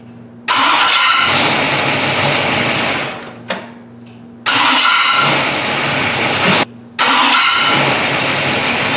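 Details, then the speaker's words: AMC car with a newly installed gear-reduction mini starter: each start cranks briefly, then a high whirring grind lingers over the catching engine. The starter seems to stay engaged for a moment after start; its machining quality is suspected. "it kind of sounds like it's staying engaged for a second after the car is starting"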